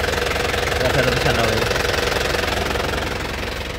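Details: 2008 Isuzu Panther LS Turbo diesel: steady idle clatter with even beat, no misses or knocks, clean exhaust, no oil leaks; normal healthy diesel idle.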